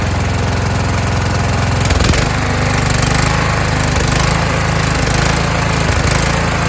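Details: Kohler Courage engine on a tractor, after a donor-motor carburetor swap whose choke springs back by itself; started choked, winter, engine cover off. Steady, even beat with a slight rise and fall in speed; running well, just a mild surge.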